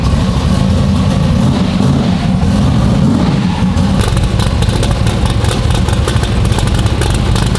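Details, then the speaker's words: Fresh 540 big-block V8 after static timing check in the computer: deep, lumpy idle holding steady and even, no misses or knocks; sounds better than before, no trouble idling. "I think it sounds a lot better than before what do you think does it sound better I can't really hear it in the car that way I mean that I know it doesn't have any trouble idling"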